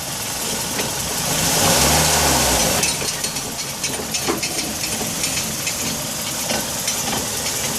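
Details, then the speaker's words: 2004 Nissan Sentra after engine and transmission replacement: brief rev, then irregular metallic clinking/clunking when pressing the gas. Axle suspected but not confirmed. "I'm not sure what that noise is, so if anybody can help, that'd be greatly appreciated. We're thinking it's on the axle, but I'm not sure yet."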